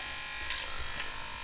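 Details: VGT 1000 ultrasonic cleaner, 35W 40 kHz piezo transducer, just after repair and rewiring. Steady, even high-pitched buzz with no breaks or wavering; the transducer is driving normally.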